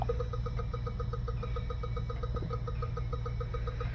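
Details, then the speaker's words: 2016 Honda Civic with non-working cooling fan (U0401, P0480 codes), fan commanded on manually: sharp, even clicking about seven or eight times a second over a low hum, like a solenoid cycling, which shouldn't be there. "I hear clicking that clicking shouldn't be there"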